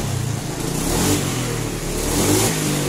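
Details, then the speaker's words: Honda Scoopy fuel-injected scooter after replacing the spark plug cap: revs lighter but still stutters at upper throttle, note breaking up; next step adjusting the TPS sensor. "ini sudah lumayan enteng tapi ada brebetnya nih tapi atasannya brebet ini ya kalau bawaan enak"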